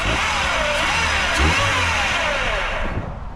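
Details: 1996 Oldsmobile Cutlass, first start after sitting, fuel pump fitted externally to supply pressure: engine catches, revs up smoothly and settles without misses or knocks; normal running.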